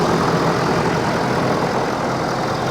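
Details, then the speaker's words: Ford F-350 ambulance at auction, high mileage, idle with hood open: even, smooth idle with a steady low rumble, no tapping or misfire; sounds healthy. "it's got good tires it sounds like it's running great high mileage but you gotta imagine these things have been exceptionally well maintained"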